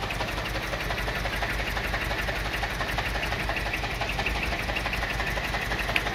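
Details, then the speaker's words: 2007 Mini One 1.4 petrol at idle after starting: steady but uneven, lumpy beat with a repeating stumble; the engine is misfiring somewhere, cause not yet diagnosed. "like I said it's got to misfire somewhere um it could be an easy fix then again it might not be who knows"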